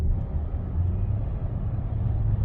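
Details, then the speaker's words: Chevy (Cruze/Trax/Sonic/Encore platform) test drive at about 40 mph after replacing the driver-side hub bearing: steady low road rumble, no roar or grinding; the old bearing roared from 15 mph, loudest at 70; repaired bearing healthy. "Nothing. No noise whatsoever. Now it's running like it's supposed to."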